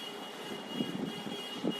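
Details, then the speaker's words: Maruti Suzuki Swift petrol engine idling unevenly with heavy irregular thumps, the whole engine shaking: a misfire with cylinders not working, later addressed by replacing spark plugs and ignition coils. "इसका 2 सिलेंडर काम नहीं कर रहा है। जैसा कि देख रहे हैं आप, पूरा इंजन हिल रहा है इसका।"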